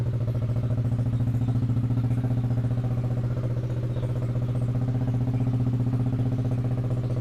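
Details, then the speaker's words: Yamaha Aerox scooter idling after repair of a dead, no-start condition traced to a faulty body wiring harness; fault codes reset, TPS 17.6, engine temperature 50 degrees, idle stable at 1600 rpm. Steady, even low putter with no misses or rattles; normal idle. "untuk RPM stabil di 1600. Oke."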